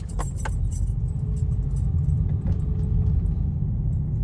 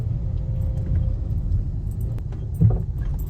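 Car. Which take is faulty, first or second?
second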